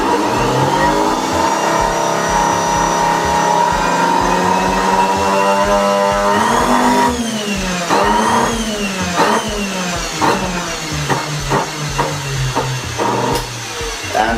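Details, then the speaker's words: Samsung SC4590 vacuum cleaner switched to higher speed: motor whine wavers and sags, then turns choppy and stuttering; brushes ruled out, burning smell follows, rotor judged failed. "But I can hear the sound of the motor. It's something really, really wrong there."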